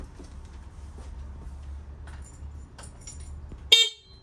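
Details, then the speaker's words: Shovelhead chopper with S&S Super E carb: one short, sharp, thin, tinny blast from a cheap aftermarket horn fitted for a roadworthy inspection, over quiet low engine background; owner finds it too high-pitched and has a Volkswagen horn ready. "too high pitched for me it's too high pitched"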